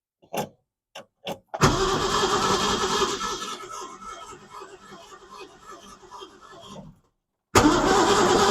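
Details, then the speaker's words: 1965 Ford Mustang 260 V8 after new fuel pump, coil, plugs and carburetor: steady starter churn around three and a half turns a second, never catching; cranks but no start, no spark, later fixed by distributor replacement. "I wonder now if it's getting any spark or not."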